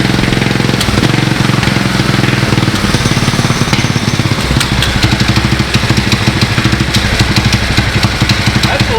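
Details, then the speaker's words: 19 hp Briggs & Stratton riding lawn mower engine fitted with a four-stroke 450 dirt bike carburetor, first start: loud crisp thumping beat settles to a quick even idle and picks up sharply on throttle; runs healthy. "oh my gosh that's loud going idle I it's going even idle give her ack that's awesome"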